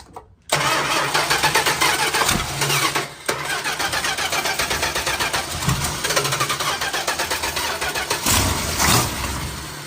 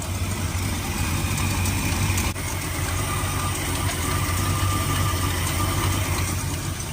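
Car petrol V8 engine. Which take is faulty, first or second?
first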